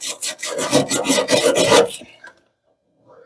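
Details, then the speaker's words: Whirlpool dryer second drum support roller after cleaning, hand-spun before clipping back on: light, even rasping whirr dying away in about two seconds, no knock or grind; sounds pretty good, turning like it should. "good feeling sorry we have to oh that sounds pretty good [Music] let's clip it back on there okay everything's turning like it should"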